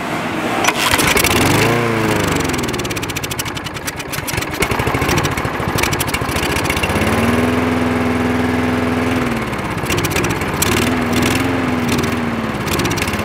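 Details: Craftsman lawn mower with the spark plug wire reconnected: the small engine catches after a couple of pulls, then holds a steady, even buzzing run with brief rev changes and sounds healthy.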